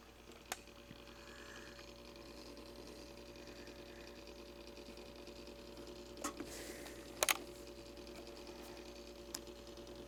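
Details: Simplex Time Recorder synchronized clock, repaired (school clock) and run dirty, still working: steady faint motor hum with scattered clicks; synchronized movement running normally.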